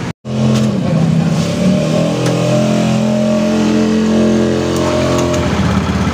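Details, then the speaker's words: Honda Beat FI scooter after a cheap CVT fix (a heat-resistant plastic shim plus grease) for a clattering sound at idle; now a smooth, even drone with no rattle or scraping from the belt drive. "Alhamdulillah Ini udah nggak bunyi lagi ya kawan-kawan ya"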